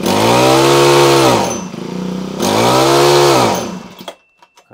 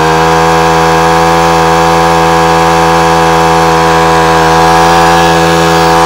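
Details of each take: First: Honda HHH25 four-stroke single-blade hedge trimmer, bubbly and boggy, just started from choke: revs up smoothly twice but falls away and dies at top end; cutting out at full throttle, expected fix is a carburetor clean. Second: Honda HHH25 four-stroke single-blade hedge trimmer after carburetor clean and new diaphragm (previously cut out at full revs): holds a steady high buzzing rev with no dips or cut-outs. Normal full-throttle run.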